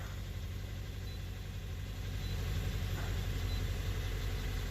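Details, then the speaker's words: 2017 Hyundai Elantra, 129,000 miles, after ignition coil replacement for P030x misfire, codes cleared and light out; low, even idle rumble with steady beat, no stumbles or shaking; normal idle. "Light is out. No more shaking. It's got 129,000 miles on it."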